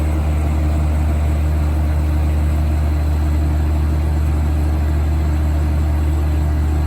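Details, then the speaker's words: 1980s Super dehumidifier with R-12 refrigerant, final test after fan motor replacement, grille and bucket fitted: steady even hum with smooth fan rush, no rattles or knocks; running healthy. "so here is the final test for this video here it goes [Music] oh yeah that's moving a lot of air [Music] [Music]"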